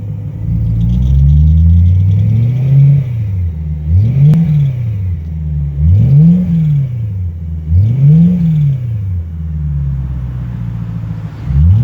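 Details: 2008 BMW E90 M3 revving: repeated blips every couple of seconds with a rumbly edge; owner doubts rod bearings, wonders about exhaust leak. Unidentified engine noise, cause unclear.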